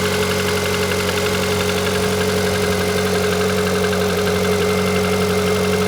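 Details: Engine with 160,000 km mileage: steady hum with a fast light rhythmic knock about four per second; new foreign knock, audible even in the cabin at high revs, cause unknown.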